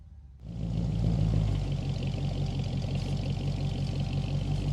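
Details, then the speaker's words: Restored 1947 Ford F100 pickup with a flathead V8, true dual exhaust and Cherry Bomb mufflers: the engine starts right up into a deep, steady burbling exhaust rumble with an even beat. Healthy running. "runs true dual exhaust with cherry bomb mufflers, classic flathead tone, and clean presentation."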